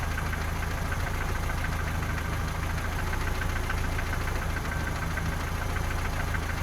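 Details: 3S-family engine in a VAZ 2121 (Lada 4x4) at idle: light irregular tapping of three or four knocks a second near cylinders 3 and 4, by the camshafts or lower; valve clearances, gear and cam beds already checked; engine knock, cause unknown.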